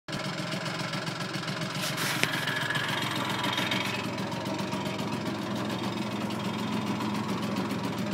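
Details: Vespa Primavera 125cc standard engine, first start after rebuild: the small two-stroke ticks over at a quick, fairly even idle with no knocks or grinding, running cleanly; normal idle.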